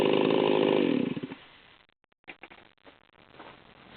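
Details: Ported Stihl 038 Magnum chainsaw at full throttle, high-speed needle about 3/8 turn in: it howls with a burbling, unsteady edge, tach bouncing around 14,100 rpm; high-speed mixture set super rich for break-in.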